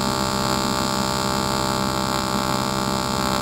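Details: Aluminum TIG (GTAW) butt joint at about 100 amps on a 140-amp machine, finishing the last section and tapering off at the end: a steady, even electrical buzz with no crackle or sputter, a stable AC arc running normally.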